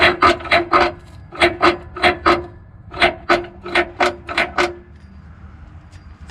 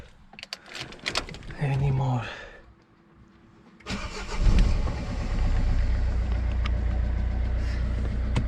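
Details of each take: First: Citroen C4 Picasso, noise heard when pulling away and changing gears: rhythmic dry scraping about three a second from the exhaust pipe rubbing the underbody because its vibration-absorbing mounting pads had come loose; refitting them silenced it. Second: Citroen C4 Picasso after refitting loose exhaust pipe vibration-absorbing mounts that caused a strange underbody noise when pulling away and shifting: starts and idles evenly under a chime, no rattle or buzz from underneath, exhaust secure.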